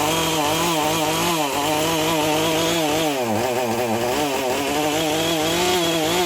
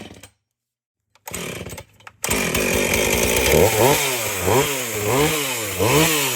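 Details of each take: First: Husqvarna 450 chainsaw, bought for $10, said to lack power to spin the chain; with new 50-gauge chain, run on full choke with NGK plug: revs surge and sag, misfiring; owner suspects the Hipa coil or spark plug. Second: Husqvarna 450 chainsaw after rebuild and Hipa plug, cutting wood: after silence it fires, revs rise and fall about once a second through the cut, pulling cleanly without stalling.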